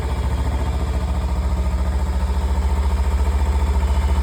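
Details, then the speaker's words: Kawasaki Ninja 300 twin after throttle body cleaning, which fixed a cold-start problem; starts first try: even deep pulsing idle about three and a half beats per second, steady, no misses. Normal idle. "তো সমস্যা ছিল কোল start হচ্ছিল না। Hotel body clean করার পর কোল start একবারে নিয়ে নিয়েছে।"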